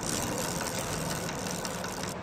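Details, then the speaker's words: Motorcycle chain still clicking after tightening; fast dry ticking through steady mechanical clatter as the wheel turns, chain lacked oil and went quiet after lubricating. "दोस्तों bike में चैन tight करने के बाद भी कटकट की आवाज आती रहती है"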